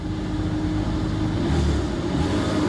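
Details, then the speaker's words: BMW 325ci with 73,000 miles, left sitting and nearly out of gas: it starts and runs smooth and even, revving cleanly with no knocks, misses or rattles. Sounds healthy. "Sounds healthy. This is not bad."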